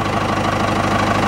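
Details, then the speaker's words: 4BT Cummins with starting issues, fuel pump just primed (earlier trouble was air in the system): diesel idles unevenly, irregular stumble in its knock as a cylinder drops out now and then; misfire at idle, cause unconfirmed. "so but now you hear it it's you'll know what it misses I've seen it comments miss before it it's not consistent like this"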